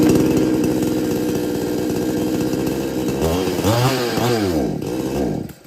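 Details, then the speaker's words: R Yantra 58cc chainsaw that starts but won't take load: raspy idle that wavers and surges as throttle is blipped, then dies; stalls when throttle applied, cause not yet found. "Problem इसी तरह से हो रहा है load नहीं ले रहा है मशीन स्टार्ट होकर बंद हो जाता है एक्सलेटर लेने पर मशीन अचानक से बंद हो जाता"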